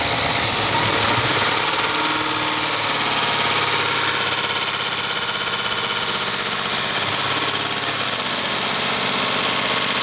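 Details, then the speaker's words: 2017 Ford F-150 5.0L Coyote V8, cold start then raised idle around 1500 rpm: sharp rapid clacking loudest at rear of intake manifold, not elsewhere; loose intake manifold runner control actuator rattling, though a shop had claimed it needed a new engine. "all right let off okay so hopefully you heard it that's a distinct clacking now back here this is our intake manifold this is where i'm hearing the sound"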